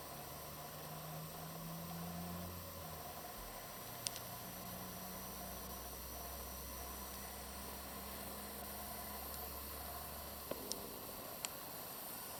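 A steady, even hiss sits over a quiet background with a few faint clicks; a graphics card hissing under heavy load, cause uncertain. Cause suspected, not confirmed.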